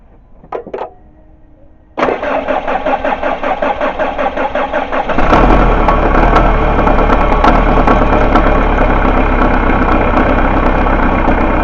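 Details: Chrysler Grand Voyager 2.8 CRD diesel, which cuts out in cold weather, cranked during a pressure relief valve test with the return pipe capped: a few seconds of steady cranking, then it catches into an even, regular idle. It starts and runs normally, and the relief valve is working fine.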